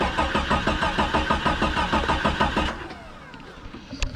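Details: Early-1990s Jeep Cherokee XJ not run in four or five years, on a jump box: even cranking about three beats a second for under three seconds, never fires; no fuel pump heard, weak fuel pressure suspected, not confirmed; crank no start.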